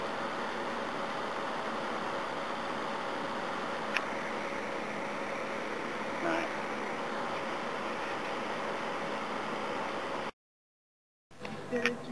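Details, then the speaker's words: Old electric heater (about 18 years, 240 VAC, 1800W or 2400W) after cleaning and servicing its seizing fan motor; quiet even whir with no scraping or squeal, steady for ten seconds, fan spinning freely, just like new. "let's give it a test run see what happens a that's much better than has an Ang he by it's working by away [Applause] yeah just like new"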